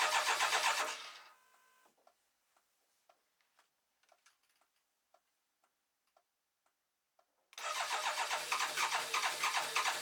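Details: BMW K1200LT after new fuel pump maintenance kit, fuel pressure being checked: two bursts of steady rhythmic cranking with light ticking between, engine never catches; crank, no-start.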